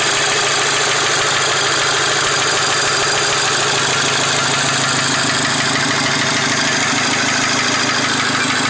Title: Mkv gti knocking sound